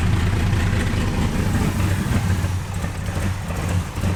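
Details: Wrecked C6 Corvette Z06 V8 with Texas Speed heads and cam, after cam timing correction: deep, fairly steady idle with a lumpy cam beat, no knocking or ticking; runs properly again.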